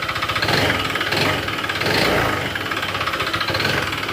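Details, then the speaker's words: Honda PCX160 scooter, about five years old, 45,000 km: heavy regular knock that quickens and swells with throttle blips, following acceleration, not the CVT; connecting rod/crankshaft, overhaul needed. "Ito sumasabay. Ibig sabihin connecting rod yan segunyal kaya matic. Overhaul to."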